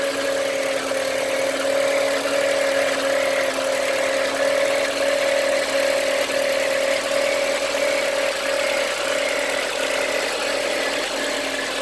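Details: Volkswagen Passat B5 1.8 engine at idle: a steady mid-pitched whine sits over an even idle and holds constant; source unclear and still being traced, unusual engine noise.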